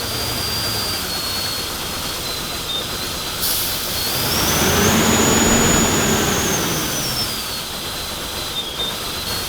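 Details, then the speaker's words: Nissan Pathfinder idling after injector work: a thin high whistle rises and falls over a steady engine note. Owner says it still has a bunch of vacuum leaks; the exact source is not confirmed. "there's a major league i didn't even get that yet you can hear like that hardcore whistling you guys know what that is"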